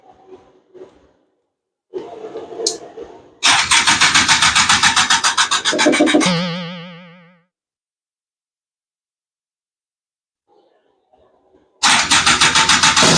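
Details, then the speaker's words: Honda Odyssey FL350 with new Lectron Billetron 38mm long body carburetor, choke on, first morning start: spits, catches, sputters unevenly a few seconds and dies; restarts but won't idle; carb tune wrong, metering rod to be adjusted. "oh yeah I'm not I'm not even going to I'm not even letting that run for 10 minutes doesn't even sound good"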